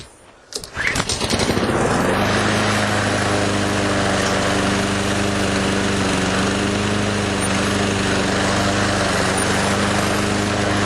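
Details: Craftsman self-propelled lawn mower, after fixing a loose front wheel: pull start catches within a second, then a steady, even engine drone without misses or knocks; runs properly.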